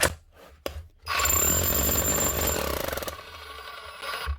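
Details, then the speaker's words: Metabo MHEV 5 BL brushless demolition hammer running: harsh, uneven pounding rattle from a broken connecting rod needle bearing; also won't lock chisel position. "although that doesn't sound too healthy"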